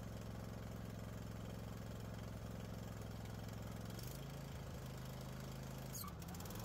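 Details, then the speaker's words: Craftsman riding mower after a full service including oil, spark plugs, blade sharpening and belts. The engine dips briefly as the blades engage, then settles to a steady beat with no deck vibration or knocking; it sounds healthy. "blad spin up no vibrations from the deck engine sounds good"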